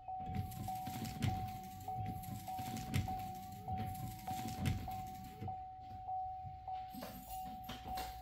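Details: Wiper arm test run after removing the arm, cleaning its splines, refitting it and snugging the nut: wipers sweep back and forth with a soft thump at each turn, about one every two seconds, motor even. Working normally.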